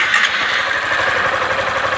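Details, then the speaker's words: Honda Fan 160 motorcycle idling: a light, quick top-end ticking over a steady idle, nothing harsh. This is normal rocker noise that all of these bikes make, and adjusting the rockers tighter would cause problems. "Ó esse barulhinho assim tá bom Menin fica preocupado não pessoal rapaz quer regular o balancinho dele aí ó 160 liga"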